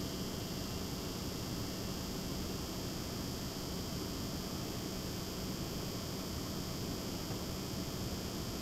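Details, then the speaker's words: Water pump in a Lian Li PC-Q08 water-cooled HTPC, replacement pump, mic close to the pump, set to its lowest speed: faint, steady, even low hum under room hiss; normal pump operation at low speed. "I'm going to adjust the uh power to the pump now it's going down to its lowest setting this is on the lowest setting of the pump pump is still running"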